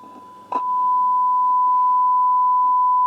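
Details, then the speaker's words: Swedish Amerikansk Ljudteknik GF 10 tube guitar amp, probably 1960s–70s, fed 1 kHz sine test signal: steady tone with faint crackly scratching riding on it; scratchy noise, source unknown, a possibly expanding capacitor suspected. "there's some noise some scratch noise coming from somewhere"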